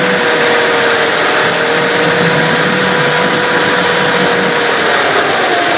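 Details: Evinrude/Johnson 15 hp outboard running after driveshaft swap: steady high whine at constant pitch over the motor noise, less bad than with the other driveshaft but still heard and felt; cause not pinned down, motor deemed parts.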